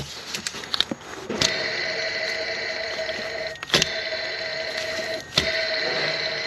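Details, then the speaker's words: 2012-ish Toyota Tundra with constant drive belt noise, belt removed and idler spun by hand: gritty whir fading between spins; worn idler pulley bearing; both idlers and belt replaced. "That bearing is Googats. Now imagine that at 1500 RPMs on cold starts."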